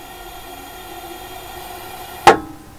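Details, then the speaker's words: Truma gas heater in a motorhome: quiet, then one sharp click as the flame-failure valve shuts off the gas after the flame is blown out and the sensor cools, which is normal. "Da. Das Klacken, das war jetzt ist er ausgegangen, jetzt läuft kein Gas mehr nach. Und so soll es auch sein."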